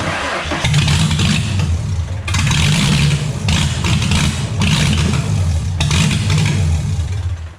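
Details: V6 Mustang started with power steering and water pump removed: rough, lumpy cranking and a stumbling catch with uneven surges and drop-outs; only a few plugs firing. The owner suspects another vacuum leak. Engine misfire.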